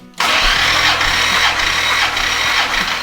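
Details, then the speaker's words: 1970 Plymouth GTX 440 big-block, old engine with 9.7 compression, cranked with plugs out for a compression test before rebuild: quick, even starter spin with a regular swell about twice a second; first two cylinders just under 150 psi, well balanced; normal cranking. "So it looks like so far we have 2 cylinders and it's a well-balanced engine. Well, it is an old engine. It is a 9.7."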